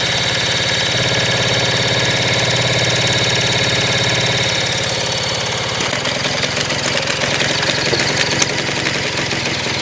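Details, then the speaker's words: 1975 Kawasaki KE125, formerly seized and freed, carburetor rebuilt; key on, fuel and brake clean sprayed in, hand-choked. Rapid steady chuffing as engine is spun over, moving air but never catching. Crank, no start. "It's just, I mean, it feels like we're moving air."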